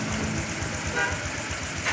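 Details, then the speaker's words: Honda RS125 Fi after an overhaul with a replaced connecting rod, first start: an even, quick putter at idle with no knocking underneath. The heavy pounding is gone; the engine just needs break-in. Normal idle. "Tahimik na siya ko. Kailangan lang to i-breakin. Tahimik na siya, wala na yung sobrang pukpok."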